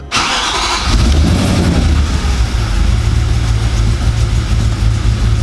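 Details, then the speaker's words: Audi S4 4.2 V8 first start after about two years, some vacuum lines bridged: catches instantly and settles into a deep idle with a lumpy pulse; rough idle, owner suspects vacuum leaks. "not running great i'm not gonna lie but again i think that might be vacuums"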